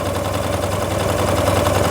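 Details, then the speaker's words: Freshly overhauled Honda Lead AF20 two-stroke scooter on its first start, carburetor being set up: a buzzy idle whose pitch and loudness creep up steadily as the idle speed is turned up, before the mixture screw is adjusted. Idle speed being raised. "Зараз трошки піднімемо холостий хід"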